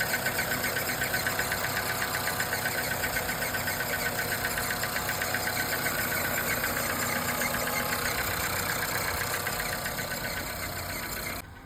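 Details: Nissan Qashqai running engine with a sharp, regular ticking knock, roughly four per second, riding over it and keeping time with engine speed: engine knock.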